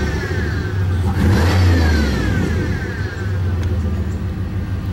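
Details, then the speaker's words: Chevrolet Impala SS just after removing its nitrous kit: the engine revs up and settles back while a thin, falling whistle rides over the exhaust at the rear, described as sounding like a cat; cause unknown. "we just took off the nitrous kit and now the car sounds different. I don't know if you can hear it, but in the back. Sounds like a cat."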